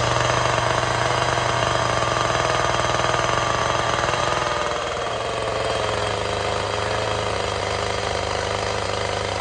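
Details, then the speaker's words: Chainsaw carving at high idle/high throttle: an even buzzing drone with no surging or hunting while cutting. The consistent chain speed is quieter than changing speed; running smoothly. "it maintains a very consistent spin I know exactly what I can count on I know how much it's going to dig I know how loud it's going to be it's actually much much quieter than when I try to change the speed as I go"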